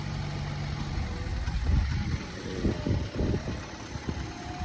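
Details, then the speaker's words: 2014 Chevrolet Cruze started with jump box: low, soft, steady idle with no knocks or ticks; very quiet normal idle. "Has the jump box hooked up to it. Started up with a jump. The engine is very quiet."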